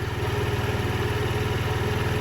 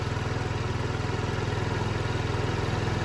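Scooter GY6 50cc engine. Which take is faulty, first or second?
first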